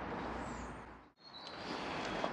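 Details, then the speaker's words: New replacement alternator for BMW N47 diesel (E81 123d) spun by hand: soft, even whirring hiss with no grinding or play, a healthy bearing; the old one had developed a squealing bearing. "okay the bearing this one sounds absolutely lovely there's absolutely no gloves in it at all as you would expect being brand new"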